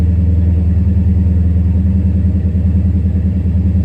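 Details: 2014 Dodge Charger SRT8 6.4L V8 with 72,000 miles and codes P0300/P0303. Deep idle stumbles rhythmically, dipping every few beats. After a swap from cylinder 3 to 5, the misfire stays on cylinder 3; injector swap is next.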